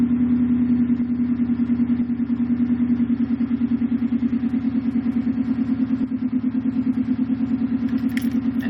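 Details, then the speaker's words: 2005 Subaru WRX STI cold start after battery disconnect: idle lurches and pulses unevenly, about three beats a second, then stabilizes; began after installing an air oil separator, reader showed too much fuel added, suspected vacuum leak from install. "just took the battery off no I'm gonna do the first start this usually happens every cold start"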